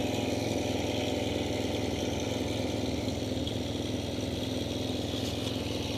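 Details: Yamaha TMAX 500 scooter: steady engine with a rough, pulsing clatter about two to three beats a second riding over it; abnormal mechanical engine noise, cause unknown.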